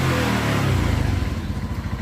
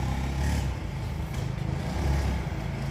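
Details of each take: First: Honda Zoomer X scooter after replacing the faulty, clogged fuel injector with a new one: revs come up cleanly and drop back to an even, regular firing beat with no stumble; normal revving, injector fault fixed. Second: Honda Zoomer X scooter before repair: engine drones low and flat, revs barely climbing when the throttle opens; bogging traced to a clogged, faulty fuel injector after the fuel pump was checked and ruled out.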